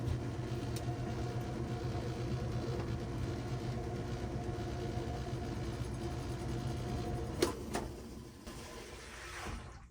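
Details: Whirlpool top-load washer on drain and spin after repair: a quiet, steady motor churn with a soft rhythmic swish near three per second, then winding down smoothly; draining and spinning normally.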